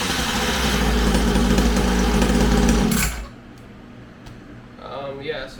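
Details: Syx Moto 50cc two-stroke dirt bike after pull-starter repair, an ignition coil fix for a no-spark fault, and an idle adjustment: a buzzy, steady, even idle with no stumbling before shutting off.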